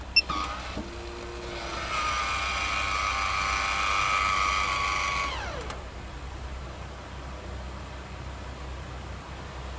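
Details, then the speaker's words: Camper van fan after reinstalling the motor and cleaning the fan and screen to cure chirping: steady, even whir on low with no chirp or squeak; sounds healthy, fix to be monitored. "She's nice and quiet. On low. I don't hear any chirping."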